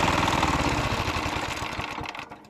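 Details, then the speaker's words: Walk-behind tractor single-cylinder engine that starts then dies after half a minute to a minute, despite a cleaned carburetor and valves set to 0.15 intake and 0.20 exhaust: chugs, slows and stalls; faulty oil level sensor, to be replaced. "бачите заглох от заглох тому що Несправний датчик рівня оливи все будемо міняти його потому що без нього працювати тоже не рекомендується"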